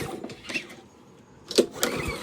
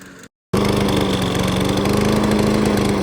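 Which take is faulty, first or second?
first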